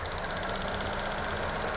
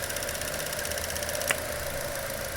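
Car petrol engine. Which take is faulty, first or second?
first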